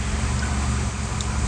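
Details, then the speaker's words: Toyota RAV4 petrol engine with electronic throttle body idles low and steady, RPM below 1,000 after throttle adaptation done without a scan tool, curing the high rough idle; smooth even hum with no hunting. "So let's spark the engine and see. So you can see automatically the RPM is below 1. Isn't that awesome?"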